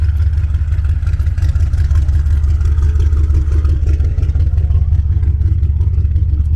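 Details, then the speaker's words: Lowered BMW 7 Series that shakes at 50 mph, makes loud front-end noise when turning and has a blown AC compressor, driven a short way to the driveway: a deep, steady engine drone with smooth pull and no knocks, clatter or whine. The engine itself sounds good. "Man, she sounds good. I miss driving this"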